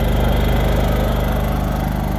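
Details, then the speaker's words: Champion 8500-watt dual-fuel generator running on propane after starting; steady, even engine thrum with a regular firing pulse, no misses, knocks or hunting; normal healthy running. "Now I'm gonna turn it on the propane. And off she goes. Trucking along really right."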